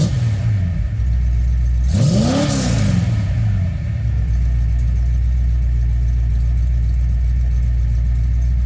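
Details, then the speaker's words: V8 truck, warmed up, vacuum advance on ported vacuum: a lumpy, deep idle with a clean throttle blip that rises and falls smoothly, then settles back to a steady rumble. It sounds like normal, healthy idle and revving. "Okay, first I'm going to get the engine warmed up, and we'll get an idle quality sample and rev or two, and we'll see how that sounds with ported vacuum."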